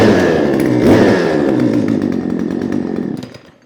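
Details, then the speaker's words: Discarded chainsaw after carburetor ultrasonic cleaning and reassembly, 150 PSI compression, running on choke: steady even buzzing two-stroke note before shutting off; healthy running. "so I took the carburetor off I threw it in an ultrasound put it back together and it started right up"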